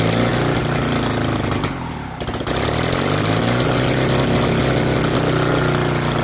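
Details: BMW R69S with Kayser Power Kit, first start after engine restoration: lumpy, irregular idle that stumbles and nearly dies before picking back up; carburettors of unknown origin are troublesome and still need attention.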